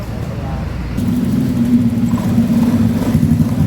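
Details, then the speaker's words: Honda Beat eSP scooter that suddenly stalled and was hard to start; after ignition, fuel and electrical checks the engine catches after a second and settles into a steady, even hum with no stumbling, running properly. "Được rồi, động cơ đang chạy."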